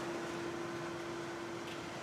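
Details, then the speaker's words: Grindmaster ESP2 espresso machine after rebuild, water filled, float level good, 220 V supply, heating element drawing 237 watts, no leaks; cooling fan gives a steady airy whir with constant low hum, no rattle or scrape, group heads getting water. "so far hear the fan running we turn the group heads on we're getting water"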